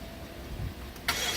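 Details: 2013 BMW 750i after a front crash with airbag deployment, previously cranked nothing; positive battery cable to the starter replaced. About a second of low cranking, then it catches abruptly and runs steadily. Normal start.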